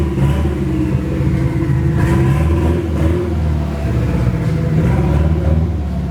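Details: Nissan SR20 in a 240 on first start after engine install, open downpipe: revs rise and fall but firing stays ragged and choppy; engine misfire, cause unconfirmed, owner suspects bad original gas.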